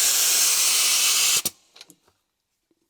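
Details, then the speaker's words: Stanley (later Bostitch) APC 2IN1 pneumatic brad/staple nailer, about 10 years old and once dropped (impact mark, no cracks seen): a loud continuous high hiss of air escaping from the head on the airline, cut off with clicks. Air leak, cause not yet found. "But I've just come to use it again now, and all it does is leak air. If we fire an airline into it, you'll hear. And it's all coming out"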